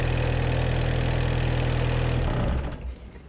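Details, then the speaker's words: 1986 Suzuki Samurai turbo diesel after replacing the leaking injector pump with a rebuilt one: steady low diesel clatter at an even idle with no misses, then switched off; smoothest it has ever run, little smoke, some blow-by; normal idle. "that is the best and smoothest this engine has ever ran even the smoke it's like non-existent"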